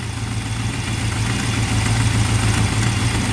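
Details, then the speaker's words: Big-block squarebody truck after topping up transmission fluid and adjusting the carburetor, heard at the tailpipes: deep steady V8 idle, no miss detected, maybe slightly fluttery; normal idle. "she's running pretty good. Let's go listen at the tail pumps. I don't detect a miss there."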